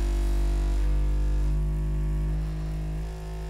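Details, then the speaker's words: Bambu Lab A1 3D printer running its vibration compensation calibration, with the screen showing frequencies stepping 29, 30, 31: low droning tones shifting in pitch while loose items on the table buzz along; aggressive but normal. "all right now it's doing vibration compensation and it actually shows you the HTS here 29 30 31 there is some stuff on the table that's vibrating but yeah it's pretty"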